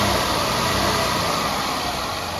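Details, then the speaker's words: 2003 Mazda Tribute V6 at idle after repairing a bearing/tensioner pulley noise, with the A/C left disconnected: smooth, quiet idle with only light valve-train tick, no bearing whine. "Wow, it's nice and quiet. I don't know if you can tell. All I hear is valve train."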